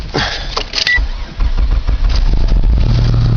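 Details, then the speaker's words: 1995 Dodge Avenger 2.5 V6 cold start in deep snow: a few uneven cranking thumps, then it catches promptly and settles into a steady low rumble; started right up, with more than a little smoke. "Oh, it started right up. A little smoke, not too bad."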